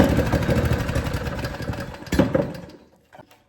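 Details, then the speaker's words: Cheap small single-cylinder go-kart engine bought used, fresh fuel and oil checked: steady putter, throttle blip near end, then dies away; runs cleanly, normal running. "Maybe she likes a little throttle. Oh yeah, we got a ripper."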